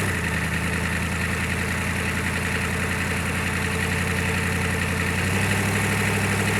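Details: GEP/Navistar 6.5 diesel, rebuilt (Scat crank, 30 over, moly pistons), Stanadyne DB2831-4911 pump, just after startup, mechanical lift pump only, still warming: steady even idle clatter holding its speed; healthy idle.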